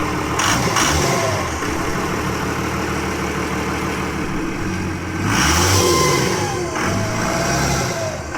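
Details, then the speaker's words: 1952 Dodge Coronet project, first start with radiator bypassed and no coolant yet: engine catches and settles into a rough but steady run, with a couple of throttle blips rising and falling cleanly. "I hope you enjoy that sound, because I know I do."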